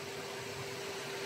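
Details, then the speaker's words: First-generation MG ZS EV with LFP battery, 4 years old, at its 4-year service: cooling fan runs because the car is charging on a warm day, steady airy whoosh over a faint constant hum, no rattle or wobble; normal. "dessus le ventilo qui tourne, on l'entend bien, et tout le reste a l'air d'être ok."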